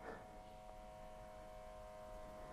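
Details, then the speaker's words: Jaguar XJS Teves ABS high-pressure pump running on ignition only, engine off, during rear brake bleeding; steady electric hum with fixed tones over warning buzzer, note changes as pressure builds until lights go off; pump healthy. "buzzer is running or the pump is running i mean you have the anti-lock and the brake warning light they will go off when the pump has built pressure"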